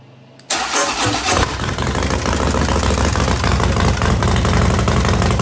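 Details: 2016 Harley-Davidson Dyna Wide Glide, test run after installing an Arlen Ness oil pressure gauge and sender: engine catches at once and settles into a steady loping V-twin idle, no misses or knocks; gauge fitted without leaks.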